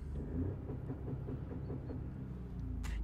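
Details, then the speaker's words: 2016 Ford Focus EcoBoost with poor performance, revving under acceleration: deep rumble broken by uneven stumbling pulses about five times a second, an abnormal misfire. "listen to this when i miss fire that's no normal"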